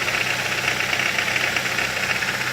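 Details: 2008 Ford Focus 2.0 16V Duratec automatic, idling as it is shifted from P into a gear under load. Harsh, rattly knocking rides over the idle. Cause unconfirmed: timing chain suspected, and the noise seems to come from the top of the engine.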